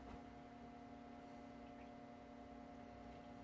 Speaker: I'm here in a very very tiny home in that speaker that's actually good tells me the audio is working